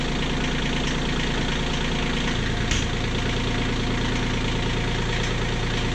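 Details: Kioti CK20HS diesel tractor idling after injectors were cracked to bleed air: steady, even clatter with no stumbling or surging, fuel getting through. Owner still doubts the fuel pump and suspects prime loss after sitting.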